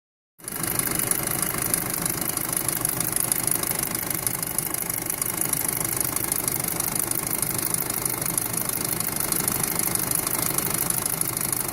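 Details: 2007 VW Passat 2.0T: fast, busy ticking clatter over a steady idle with a sharp metallic top end; loud abnormal engine noise, source not yet pinned down.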